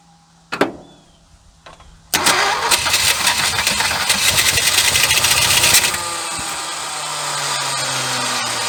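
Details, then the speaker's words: 1976 Ford F150 abandoned 30+ years, spark restored, carb cleaner sprayed in: quiet cranking, then a loud ragged roar that stumbles and sputters before dropping to rough idle. "I'm going give her some carb cleaner too oh she's wanting to run"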